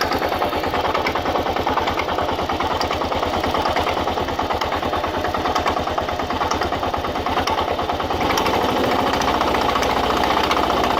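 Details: 2000 Kawasaki KLR650, about 41,000–45,000 miles, clutch plates replaced about 1,000 miles ago, doohickey reportedly done: started 15–30 minutes earlier, idles with rough metallic clacking and grinding rattle over the firing beat; cause unknown.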